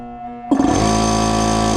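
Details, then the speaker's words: Air compressor motor gives a sudden loud, steady electrical hum held over a second without winding up, straining and hesitating to start on a newly energized shop circuit; owner suspects the motor is getting tired from how he's been running it. "yeah the way that's like right away I think that compressor motor is maybe getting maybe tired and probably from the way I've been running it like that"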